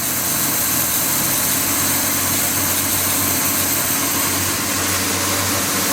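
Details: Budget turbo 250 six, revived, rebuilt power steering pump fitted: even, steady idle with no misses, knocks or hissing, smooth healthy tick-over; normal idle.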